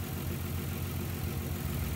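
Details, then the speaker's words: 1994-1999 Nissan Maxima idling low with irregular, choppy pulse and dips, running funny from a misfire before checking the six ignition coil packs; a failing coil pack was later found. "Okay guys, what we're doing, you can hear it running a little funny. Hope you can hear it anyway. So what we're doing is checking the coil pack."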